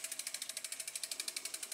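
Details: Rear freewheel coasting on a 10-year-old 2012 Trek Navigator 2.0 gives crisp, even ratchet clicks, about eleven a second, with no grinding or rough patches; the freewheel sounds healthy.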